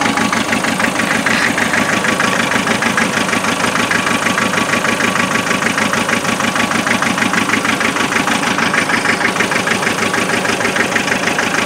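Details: 2.5 diesel misfiring at idle, cold: loud diesel knock about three beats a second with a rhythmic lope, cylinders not firing evenly; thermal imaging camera and injector spray-pattern check used to trace the fault.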